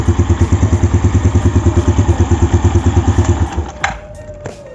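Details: Yamaha Jupiter Z1 after fixing a loose cam chain tensioner that caused ticking on the engine's left side: even, steady idle at about three pulses a second with no ticking, then switched off.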